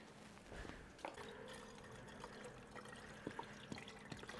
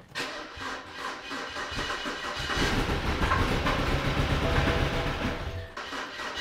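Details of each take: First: BMW E92 320i after rebuilt engine install, electric water pump run manually for coolant bleeding (ignition on, fan lowest, pedal pressed 30 s); faint steady hum under gurgling coolant in hoses; electric coolant pump circulating normally. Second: BMW E92 320i, first start after engine rebuild, M delete so it is louder than usual: catches after a short crank into an uneven, stumbling, lumpy idle; misfire because one injector was not plugged in.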